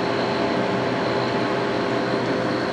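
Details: GE 9900 BTU 115 VAC window air conditioner, model AJCS10ACAM1, first run in almost 10 years, on cool: even, steady hum with constant fan rush, no rattles or cycling; healthy, about 20-degree temperature spread.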